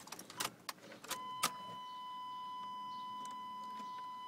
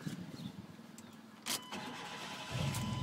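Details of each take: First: Chevy truck that broke down unexpectedly: warning chime, then the starter cranks for a few seconds and never catches, with no fuel pump hum and no fuel reaching the injectors; fuel pump not running. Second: Chevy truck after breakdown repair, final test start: starter cranks briefly, then the engine catches cleanly and settles into a steady, even idle; repair verified.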